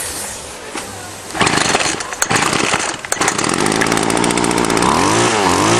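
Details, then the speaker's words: Salvaged two-stroke string trimmer after the carb was stripped, blown out and its strainer screen cleaned: a few sputters, then steady running that revs up and down cleanly. Normal running. "blew it again and she's working good let's see"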